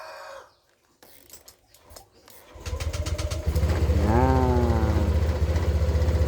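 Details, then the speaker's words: Honda Vario 160cc fuel-injected scooter after replacing the faulty fuse box assembly and its wiring, which had caused electrical cutouts and a dead electric starter: short starter whir, engine catches immediately and settles into steady even idle; starting normal. "jos ya beres. Ini sudah clear masalah kita sinyal-sinyal."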